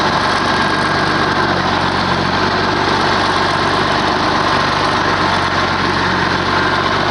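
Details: Oliver 1850 diesel tractor at idle after draining diesel fuel from the Hydra-Power: deep, even idle with a steady low thrum, no knocks or misses, healthy settled engine.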